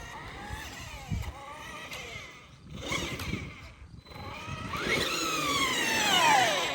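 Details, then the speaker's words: A Traxxas X-Maxx eBay belt drive retested after removing belt play gives a whine that rises and falls with throttle, smooth with no clicking. The owner is unsure this belt noise is normal; the belt is possibly a bit overtensioned. "so that's all belt noise now it's supposed to sound like that I don't know"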